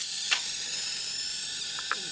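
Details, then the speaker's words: Nanao MS9 29-inch CRT monitor, powered on: constant loud high-pitched hiss with faint clicks from the back near the neck board; picture flickers and monitor shuts itself off; cause unknown. "hear the back of this thing hissing like crazy um especially it sounds like it's around this area"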